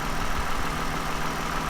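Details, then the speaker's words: 2009 Toyota Highlander, 276,480 miles, cylinder 2 misfire cleared after swapping coils; even low idle hum, no stumbles or skips; normal idle, running smooth. "But for now, I don't know. It's running pretty smooth."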